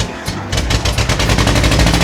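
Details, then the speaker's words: "Tofu" project car bought used, described as bad to drive: engine runs super rough, sounds cammed and shakes; uneven rapid popping and stumbling over a lumpy idle with irregular dropped beats; misfire. "Does it run super rough? Yeah, it sounds like it's cammed and it's shaking and everything."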